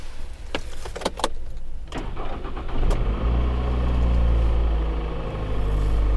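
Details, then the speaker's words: 2007 Toyota Avensis 2.0 petrol automatic, 226,000 km, cold start after replacing the timing-side engine mount: fires after a few clicks into a smooth, even cold idle with a low hum, no droning roar or vibration as before. "двигатель холодный но того рёва который был нету там было аж гу даже на холодную передачу если включить нету ничего"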